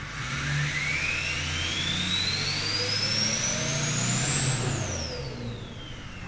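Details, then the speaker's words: Old daily-driven Duramax diesel after turbo install, 64 turbo: clean whistle climbs with revs, peaks, then falls back as throttle closes; normal turbo spool. "that's still 64 man it's just the perfect turbo in my opinion"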